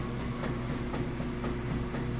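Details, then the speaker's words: Maytag top-load washer during the wash agitation cycle: light, even knocks about every quarter second over a low churning hum; normal one-way agitator clutch action, and no knocking would mean the agitator is faulty. "you gotta listen to that there now if you couldn't hear that slight knocking sound that would mean that your agitator is not working correctly"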